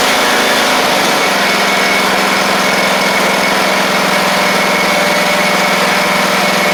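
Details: Craftsman riding mower with a click-no-start from a bad ground, restarted after checking oil: the small single-cylinder engine holds a smooth, constant buzz with no misses or rattles, running normally.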